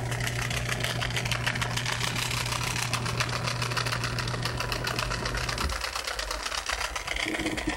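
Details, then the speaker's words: Samsung washing machine running its spin cycle with tub and agitator removed: loud fast buzzing rattle over a low hum that drops away near the end; the defective, dead drain pump, which should only hum almost inaudibly. "este es bueno la bomba de acá está defectuosa por eso tiene ese sonido normalmente debería solamente zumbar casi imperceptible al oído pero ahorita está sonando horrible porque está muerto la bomba"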